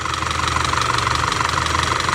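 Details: Audi 2.0 TFSI petrol engine idling with a rapid, even metallic valvetrain knock; oily cam adjuster and vacuum pump, shiny rocker arms and camshaft found; timing chain to be checked.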